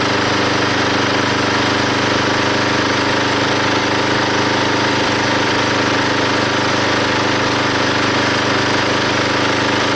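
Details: Log splitter engine driving the pump by belt, after fitting a homemade spring-loaded idler arm because the belt flew off: loud steady roar while splitting a log, engine taking the load, no belt squeal or stumble, hardly any slipping; normal running under load.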